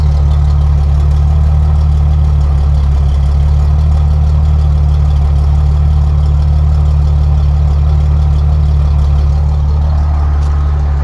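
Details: Jeep Cherokee 4.0 inline-six heard at the exhaust with muffler fitted, after an earlier cylinder 6 miss and mystery motor oil treatment (owner suspects a sticking lifter freed up); smooth, even low rumble with no skipped beats, idling steadily and clean.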